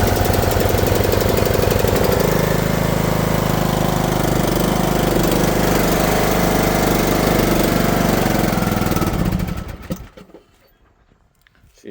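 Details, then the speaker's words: Briggs & Stratton lawn mower engine cold start after sitting in a hayfield over a year, on foul-smelling old gas, burns lots of oil; fast, uneven chugging that stumbles and shifts tone before dying; rough running. "is not happy. Running. Listen to this thing purr. Been sitting out in the hayfield for over a year. Burns all kinds of oil."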